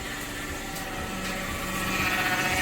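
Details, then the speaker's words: 2011 Dodge Caravan work van that stops moving after a short drive: steady high whine over the idling engine, heard down low, not power steering; worn automatic transmission pump whine. "yeah it's it's uh it's down there you can hear hear the transmission whining"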